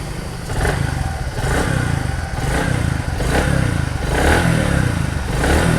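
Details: Bajaj Platina 100 after fitting new piston rings, mic held near the engine: it picks up cleanly on each throttle blip and drops back evenly, with no knock or piston slap; healthy after repair.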